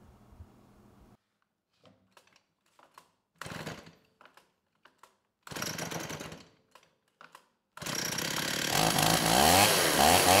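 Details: STIHL 028 AV Super chainsaw, run on straight gas, then rebuilt by an inexperienced person with non-OEM parts; it was running lean, so the low-speed jet was opened up a bit. It catches in bursts, stumbles and surges; crank seals don't seem to leak, so a carburettor issue is suspected.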